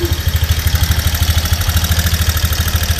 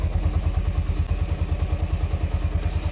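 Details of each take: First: Honda Mega Pro single-cylinder engine idling very noisily: loud busy clatter from the cylinder head top end; suspected camshaft and rocker arms (typical GL-series fault), checked on teardown. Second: Honda Mega Pro single-cylinder motorcycle after top-end repair (camshaft and rocker arms replaced) to cure a noisy, rough engine: a steady, even low thump at idle with no tapping. Smooth normal idle.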